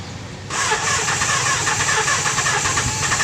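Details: Kawasaki GPz 400 with a hard-start problem and an overflowing carburetor: a long, steady, uneven starter churn of about four beats a second with no catch or pickup.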